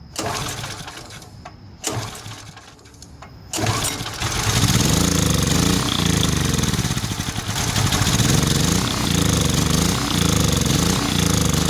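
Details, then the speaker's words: Generac Centurion 3250 generator unused two years, fresh gas, cleaned plug: several failed pulls, then it catches only on carb cleaner and surges unevenly, hunting as if fuel-starved; clogged carburetor ports, carburetor needs replacing. "J runs when you force feed the gas so it's not ignition problem it's definitely gas related so look for a carburetor replace it you'll be good to go enjoy"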